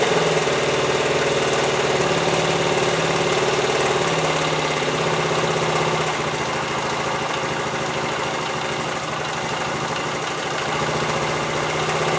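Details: 1973 Honda TL 125 single-cylinder after carburetor rebuild for float-bowl overflow fuel leak; started with choke half on, even steady thumping idle without misses or knocks; sounds good for 50 years old, no leak overnight.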